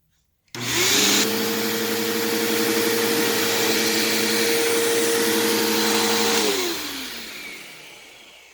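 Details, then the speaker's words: Bissell CleanView PowerTrak Plus (3593-3) upright vacuum: steady motor whine with a low buzzing hum that vibrates the whole machine. The buzz comes from the brush roll, possibly its bearings need oil; the motor is slightly worn but sounds healthy. "the brush roll buzzes quite a lot kind of like my power grim did i felt it vibrating the entire machine"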